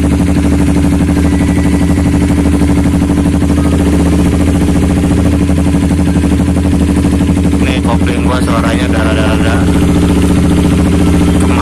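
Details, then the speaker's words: Honda CBR150R single-cylinder idling with DB killer removed, on a roughly two-year-old aftermarket exhaust with original burnt packing: steady idle with a coarse, raspy crackle; owner suspects worn silencer packing, not confirmed. "Ini gas spoolnya belum gue ganti, masih bawaan, udah angus, suaranya udah mulai gak enak. Harus ganti."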